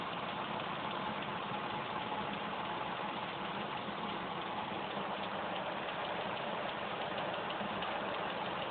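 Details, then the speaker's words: 1995 Land Rover Discovery 3.9L, 5-speed, after a water pump, timing chain and gear job (timed at 6°): a light, quick, even tick at warm idle, absent cold, driver's side, louder underneath; owner suspects clogged lifters, not an exhaust leak. "the noise isn't noticeable when it's cold um as it warms up and idles you will start to hear it um increasingly it seems to be coming from the driver's side"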